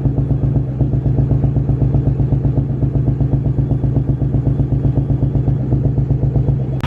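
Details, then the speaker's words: Ford 4.6 modular engine at warm idle, squeaking belt quieted with lubricant: loud idle with steady chuffing pulse about four per second and uneven lope of a dead cylinder; misfire, cause not confirmed. "this is just to help us listen for the misfire"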